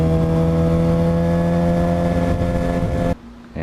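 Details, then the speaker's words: 2007 Suzuki GSX-R 750 being ridden with new battery: steady whine over the engine note, then drops away; owner suspects stator or regulator/rectifier; whining noise. "when I was riding it today it was still making the same whining noise that you can actually hear it at some points"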